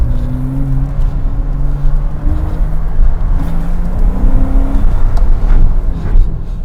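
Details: 2007 Porsche Cayman at an autosolo after misfire, coils, plugs and Variocam solenoid repairs: strong, clean engine note rising smoothly under full throttle, no stumble or popping; engine pulls healthily.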